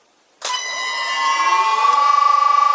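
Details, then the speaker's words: Vintage Allen-Bradley variable frequency drive running a one-horsepower 4-pole lathe motor: sharp steady electronic whine with faint pitch sweeping up as the motor spins up; normal VFD motor sound. "we can all listen to the beautiful soundtrack of this vintage allen-bradley running a one-horsepower 4 pole moter."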